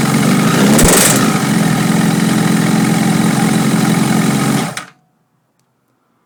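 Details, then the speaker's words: Honda CBR motorcycle just reassembled with new oil, phone near the airbox; it rattled badly at first start until oil circulated. It idles quietly, but any throttle brings a fast, hard rapping knock that stops off throttle; cause unknown. "all right did you hear that whenever I put any kind of pressure on the gas it would uh very quickly start wrapping and then when there's no pressure it seems to idle without making a lot of noise"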